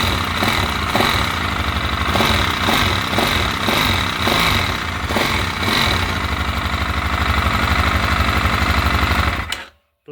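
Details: TT 250 motorcycle, 166FMM single-cylinder engine rebuilt after crash damage, no oil reaching the cylinder head: sharp, fairly even tick about four times a second over a busy idle; top-end knocking, cause unconfirmed.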